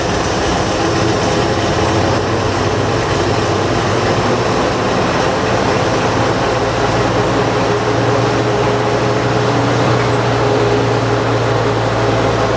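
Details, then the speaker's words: 1940s Bay City Model 30 crane/dragline engine after a decade unused, just revived: heavy loud steady low rumble without misses or knocking; 40 psi oil pressure, oil poured in coming out of exhaust. "Oil pressure, the tip gauge looks like it's trying to work. 40 pounds of oil pressure, that's amazing."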